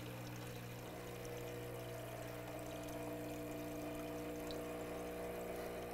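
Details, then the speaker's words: Profitec Pro 600 Quick Steam Plus dual-boiler espresso machine, initial fill at startup with the pump run at least 30 seconds: quiet, steady vibration-pump buzz with water trickling, even tone throughout; pump filling normally. "So, make sure when you're doing it that you're letting it run for at least 30 seconds."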